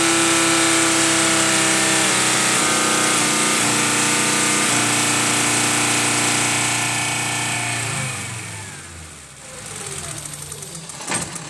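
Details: 1995 VW T4 2.5 L ACU engine warm at about 87°C with new lambda sensor: steady hum for about eight seconds, then beat sags and falters as it dies; problem starts around 83°C, cause not yet found.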